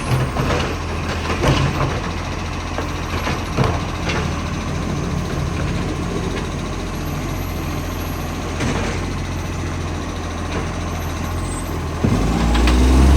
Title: Ryde Green Waste | SL757 - Huge Exhaust Leak